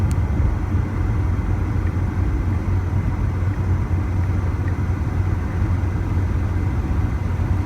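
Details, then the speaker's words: 2000 Dodge Neon driving with a bad front wheel bearing; steady low droning hum, quieter on camera than in person; bearing later replaced. "It is hard to capture the sound of the bad wheel bearing on camera. This one's quite noisy, and I did do this little clip of it, but you can't hear it as good as I would like."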